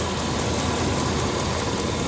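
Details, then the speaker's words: 2000 Dodge Ram 3500 van, 5.9L 360 V8, warm idle: a light, regular tap about five per second over the idle from the evap purge solenoid mounted to the fender, not lifter or engine damage; evap purge solenoid ticking. "This is the evap purge valve solenoid. There's a solenoid down here on the evap system, purge system."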